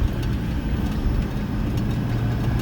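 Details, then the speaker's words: 2009 Ford 6.4 Powerstroke diesel after fan clutch replacement: deep, steady diesel rumble near fast idle with no fan roar on top; normal idle with fan clutch disengaged. "let's just take this thing for a little spin down the road and verify that the fan fans off right now yeah i don't even hear"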